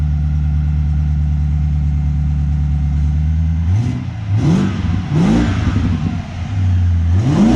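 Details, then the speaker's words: 2010 BMW 550i M-Sport, 4.8L naturally aspirated V8, 6-speed manual, custom exhaust, cold start just after an AFE intake install during which the mass airflow sensor was disconnected: steady high idle, clean revs that settle, louder intake; healthy. "Ready? Yep, go ahead, man. And this is a cold start."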